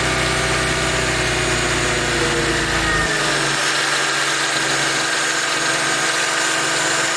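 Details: Mercedes SLK 32 AMG engine, noise louder from 40°C: steady double-beat "dadum dadum" rattle, separate from the quick ticking, speeding up with RPM and disappearing above a certain RPM; cause not pinned down.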